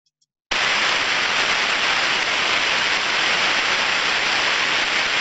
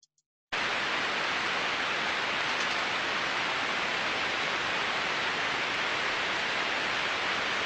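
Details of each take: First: Bearing needing lubrication, heard through an ultrasound probe while greasing with a grease caddy: steady, even rushing hiss of friction, no clicks; ultrasound level drops as grease is applied, stop when it goes no lower. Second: Slow-speed bearing heard via ultrasound probe, reading 0 dB baseline, like seven of eight bearings: smooth, uniform hiss with no clicks or impacts; normal bearing.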